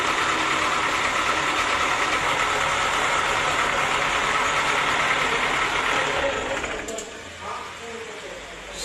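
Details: Diesel that would not start, glow plugs (heaters) tested one by one and found blown, then replaced: a steady diesel clatter runs evenly with no misfire or stumble, then eases down slightly near the end; normal idle.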